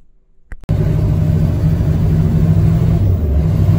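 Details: Used diesel pickup truck with the gas pedal floored under load, codes including P0113 and an exhaust pressure sensor fault. Deep, labouring rumble with uneven, stumbling pulses.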